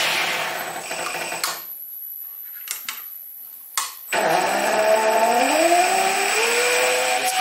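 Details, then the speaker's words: Stepper motor on cheap TB6600 analog driver without microstepping: hissing while merely holding, then rough, warbling whine climbing with speed, noisier than on the DM556 driver. "ar there's this hissing when it's just holding even without any movement it makes a lot of noise and then when i turn it on the steps are very rough so there's no micro stepping right now"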